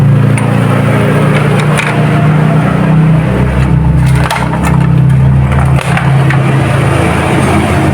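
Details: Steady low hum with light handling clicks as a Honda Karisma motorcycle starter motor, reassembled with its O-ring, is bench-tested on battery or adapter before refitting; it spins freely, normal operation.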